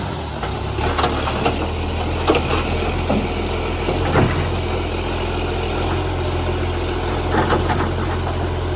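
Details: Euro 3-style Euro 5 facelift garbage truck (SL780) with a leaking exhaust pipe: heavy diesel revving with a raspy, puffing note and sharp chuffs over a low rumble, much louder than normal; exhaust leak, since fixed.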